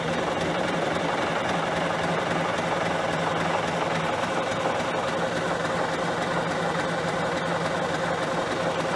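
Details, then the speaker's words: John Deere 770A motor grader diesel, sat five or six years, day two of bleeding air from fuel lines at injectors (loosened, air filter off): steady uneven cranking about 3–4 beats a second, never catches; no start from air in fuel lines. "so we're gonna go jump right back where we were trying to get all the air blood out of the fuel lines up by the injectors so I'm gonna crack those loose again start cranking on it ma"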